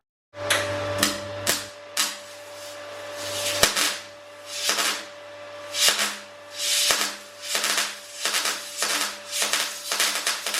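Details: MIG welder demo starting from no wire speed and turning up: arc crackles in short uneven bursts that keep dying out over a constant hum; stalling, wire speed too slow.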